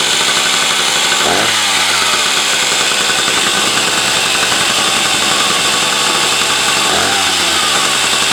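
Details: Husqvarna 380 S 77cc two-stroke chainsaw, 170 PSI compression, fitted with a Husqvarna 65 ignition; steady, sharp high buzzing idle with a couple of brief blips; runs clean, high-speed screw to be adjusted.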